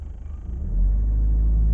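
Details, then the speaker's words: Citroen C5 with the fuel filter not yet changed: a throttle blip raises the revs, then they sometimes hang at about 1500 rpm as one steady drone instead of climbing further or dropping back. "So, the one thing still that is just slightly an issue, if I blip the throttle, I get like a sticking point at like 1500 there. See, it's cleared that time. Every now and then, it'll stick at 1500 RPM"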